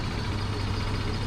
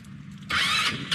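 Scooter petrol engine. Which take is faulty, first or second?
second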